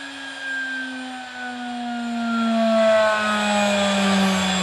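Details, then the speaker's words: DIY CNC router spindle on its inverter, spinning up from about 80 Hz to full speed: a clean motor whine climbing steadily in pitch. It sounds smooth and healthy, a normal spindle run. "that's about 80 HZ there so that's uh fairly fast but nowhere near the full speed so let's just crank it and see how fast it"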